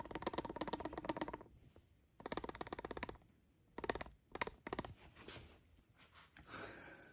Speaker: It actually sounds pretty horrible in the cab. It's amazing how much sound these things can transmit when they're worn out.